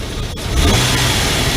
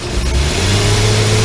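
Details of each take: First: 2002 Nissan Pathfinder, check engine light diagnosed at the MAF sensor: engine picks up quickly from idle with a smooth, even rev and no stumbling; waveform much cleaner, securing the mass airflow sensor believed to fix it. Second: 2002 Nissan Pathfinder with check engine light, during revving: engine sounds flat and labouring, never pulling cleanly; MAF reads only about 2 volts at wide open, faulty mass airflow sensor.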